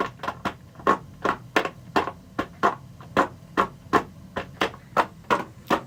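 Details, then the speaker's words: One-pipe steam radiator test, refilled with steam over cold condensate, pressure about 9 inches water column: sharp uneven bangs two or three a second as steam blows into the water-seal bucket; steam hammer in the bucket. "But either way, I'll be able to tell the difference between the hammer happening in the radiator and this hammer that's happening down here in the bucket."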